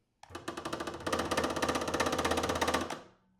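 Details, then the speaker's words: DeWalt DW788 scroll saw: fast, hard, regular knock on every stroke over low motor hum, occurring once the blade is under tension and the saw is switched on. "Pretty easy to hear. Once there's tension on the blade and you turn it on, that knocking happens."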